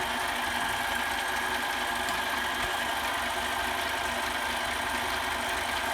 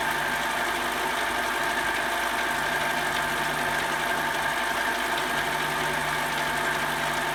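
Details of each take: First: Mini metal lathe turning aluminium, about 30 thou cut toward a shoulder, tool post not clamped tight and the work unsupported at the end: harsh, steady chattering buzz over the spindle hum; tool chatter from a loose tool post. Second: Metal lathe cutting after tightening the tool post, workpiece unsupported at the end: steady cutting hum with a faint even buzz; much better, only slight chatter left.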